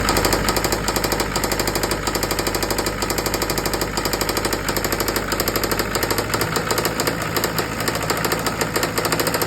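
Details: Isuzu 4JB1 diesel at idle with a loud, sharp, rapid jackhammer-like engine knock.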